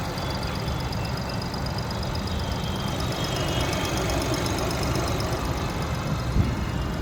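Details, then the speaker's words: Skoda Kushaq, about one year old, idling parked with engine running; mic in cabin: steady, fairly loud low engine drone, owner attributes to lack of sound insulation (cost cutting). Loud engine noise in cabin at idle. "तो आपको cabin के अंदर भी थोड़ी थोड़ी engine की आवाज सुनाई देगी, because there is no insulation."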